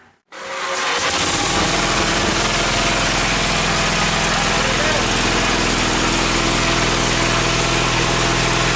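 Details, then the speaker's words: Gravely tractor engine running with starter solenoid bypassed (solenoid contacts too worn), too much compression to pull start: loud, steady, even firing with no misses or knocks; runs well. "but I want to give you all a little uh a little clip of it running"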